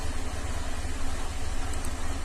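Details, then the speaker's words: 2007 Cadillac STS 3.6 V6 idling rough, misfiring on all bank 2 cylinders (P0300/302/304/306) with P0017/P0019 exhaust cam correlation codes; cause unclear, cam timing or plugged exhaust suspected; cam control test refused, oil pressure reading 127.6 psi. "And it's idling right now, but it's running rough and misfiring on that whole bank."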